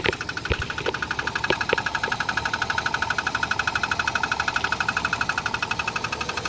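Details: Jeep Cherokee 4.0 (AMC 242), ticking at idle: steady light knock about three times a second; after half a year found circular crack in flexplate; lifters, piston skirt, sticking valve suspected earlier.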